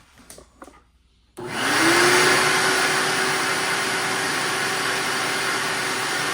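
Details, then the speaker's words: Shop vac after full teardown and oiling of the motor bearings, which had whined, ground, overheated and smelled of burnt plastic. It now spins up to a steady, even roar with no grinding or whine. "all right so there's no more grinding or whining noise on the bearings"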